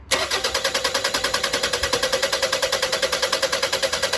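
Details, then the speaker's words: 2001 Toyota Highlander 2.4L 4-cylinder, fuel rail isolated from the return line and pump deadheaded: fast, even cranking that never fires, only about 10 PSI then bleeding back to 0, a bleed-back at tank, pump or line. "And you can see that our pressure is dropping back down to 0. So that definitely means that we have a bleed back problem somewhere in either the fuel tank or the fuel pump, or maybe even the fuel line"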